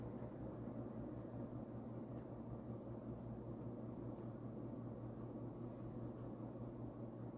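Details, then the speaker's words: Vintage, probably early-to-mid-80s Union 'Super-36' 36" spinner ceiling fan, model 4CLW-3SPC, rebalanced, on medium speed, which is nearly as fast as high: steady even low hum with a soft airy rush, no ticks or wobble; running smoothly. "there's not much of a difference between high and medium honestly medium is still really fast"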